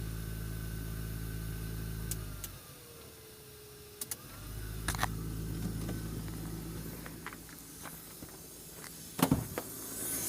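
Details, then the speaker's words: VAZ 2109 heater blower at idle: steady rushing hiss with a rustling edge from debris found inside the fan housing; heater fan rustle from debris. "Вот такая вот проблема у нас нарисовалась с печей какой-то Шелест"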